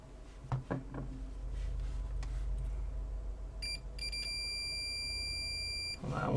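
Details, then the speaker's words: Apple HomePod logic board, multimeter continuity test on a removed capacitor: quiet bench, probe handling, then steady high beep of about two seconds; board short gone with it removed, so capacitor is shorted. "so is this cap the source of the short I sure hope so well we don't have a short on the board anymore"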